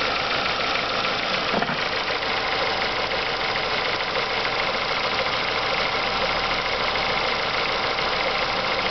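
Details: Renault Megane 2 engine idling with a light metallic knock repeating over the run, not perfectly steady; knock at idle, cause not yet pinned down.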